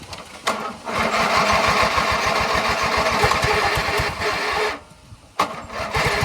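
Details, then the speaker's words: 1997 MTD Yard Machines riding mower, hard to start because the tank, fuel lines, filter and carburetor were empty. Refueled, the single-cylinder engine settles into a steady, even putter with one brief dip, now running normally. "yeah I got it started wasn't easy I'm going to let that run that way it gets gas into the carburetor before I try moving it"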